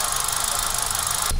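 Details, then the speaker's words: 2017 Hyundai i20 idling, heard at the exhaust: uneven puffing misfire with fluctuating rpm; the car occasionally stalls and has poor mileage. "आप देख सकते हैं missing कितनी ए रही है"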